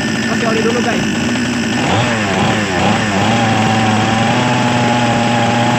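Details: Small Chinese chainsaw two-stroke that previously would not start without priming; after the fix, a steady, even buzzing idle with one quick rev that settles back smoothly. The engine runs normally again.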